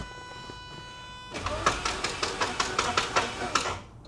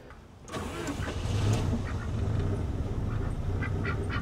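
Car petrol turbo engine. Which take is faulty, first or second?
first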